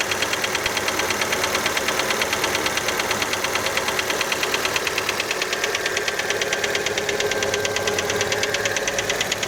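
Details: Fiat Panda engine cold after a start: a steady, fast ticking knock, about three per second, clearly over the idle. The piston skirt is suspected but not confirmed.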